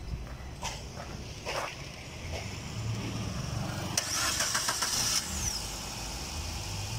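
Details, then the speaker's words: Car that previously would not crank, after fitting a new Amaron battery to replace the old one: a few clicks, then brisk cranking that catches quickly and settles into an even idle; starting system normal. "ये हो चुकी है हमारी गाड़ी चालू।"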